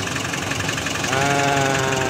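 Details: Nissan NV350 van after repair of a crank-but-no-start fault caused by flood water in the fuse box, with the damaged part replaced; steady idle with a constant mid-pitched hum and no misses or knocks under background noise. Normal idle.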